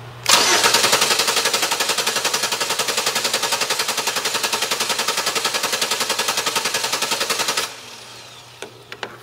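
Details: Starter cranking during a starting-system voltage drop test, engine cranked by remote start switch: steady, even cranking about 220 beats a minute for seven seconds, no start, no grinding; positive-side drop only about 0.15 V, normal starter.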